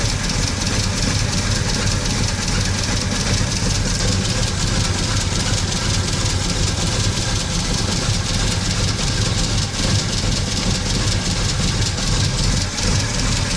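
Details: VW Gol 1.6 AP engine idling cold with a loud, rough, uneven clatter about two to three knocks a second; noise when cold, source unclear.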